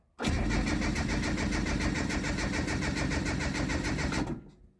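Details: JDM Datsun with messy, taped wiring and a freshly charged battery: steady starter cranking about three and a half turns a second for four seconds with no catch; fuel pump not heard priming with ignition on, cranks but won't start.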